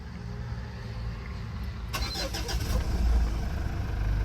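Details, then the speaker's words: Low-mileage 2014 Mitsubishi Montero: a short crank catches cleanly, then settles into a smooth, even idle with no knocks or misses; the engine sounds very good. "Grabe. Ang ganda ng tunog ng makina. Ayos."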